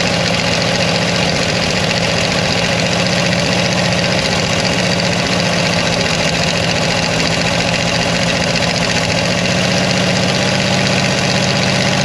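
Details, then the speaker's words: Mopar 360 LA V8 in a 1975 Dodge motorhome abandoned about 25 years, previously locked up, fed from a bottle with a stuck carburetor butterfly: rough, ragged stumbling that never settles; repeated stalling after brief firing. "flame sounds like it wants to run on its own fuel no matter how shitty it [Music] is"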